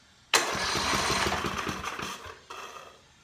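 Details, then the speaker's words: Generator four-stroke engine, stored 6–7 years with oil, no fuel, battery-cranked: starter turns it over briskly with even compression rhythm, sucking air, no firing; normal cranking, no start. "I can hear it sucking air and turning over with some compression behind it. But I could tell you right now, if I would put gas in it, it would fire right up."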